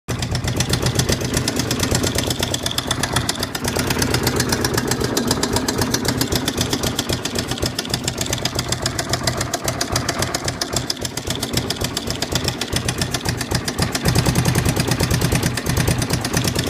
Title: Suzuki dr 750 knocking sound